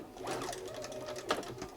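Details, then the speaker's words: Bernina 930 Record Electronic sewing machine at full speed: light, quick stitching patter with soft clicks at an even pace; the clicking is the needle positioning system, common on these machines. Normal running. "now that clicking noise that's common on these I think they probably even did that since new that's the needle positioning system uh kicking in there"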